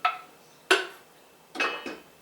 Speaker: he that pinging that means our jars are sealing and that is what we want to hear that is music to our ears